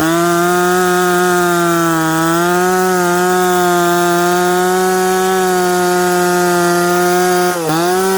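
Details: Stock, unpiped McCulloch Pro Mac 850 chainsaw cutting hard dried cottonwood before teardown: steady high two-stroke scream holds pitch through the cut with a brief dip near the end; pulls strong, revs cleanly, normal under load.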